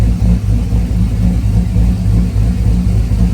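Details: Car engine running steadily, holding 203–207 for 24 minutes versus 220 before. Deep, even note with no knocks, misses or whine; normal running.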